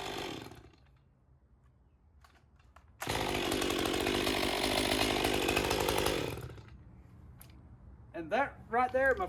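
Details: Stihl MS201TC M-Tronic climbing saw, low hours, after no-start fixed by finding a broken wire: saw screams up to a steady clean high rev while cutting for three seconds, then drops to even idle; running healthy.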